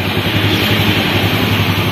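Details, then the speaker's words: Honda Beat FI scooter restarted after its fuel pump filter was cleaned (pump pressure then read over 40): small engine putters at a steady, even idle with no stumbling or dropouts; running normally. "oke Guys jadi begitulah ya motor sudah hidup kembali"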